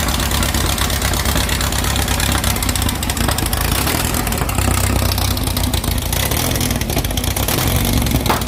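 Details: 2332cc "Dust Buggy" bug, cold start after carb removal and cleaning, with fresh oil and a new filter. Initial missing was cured by setting the mixture screws. Smooth, even idle with a steady low beat and no misses or stumbles: normal idle.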